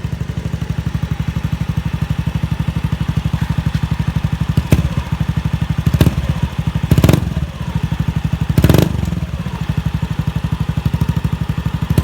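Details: Honda Beat FI scooter stumbling at low and high revs: rough idle putter with sharp throttle blips that flare unevenly; hesitation blamed on fuel pump pressure, normal being 40 psi.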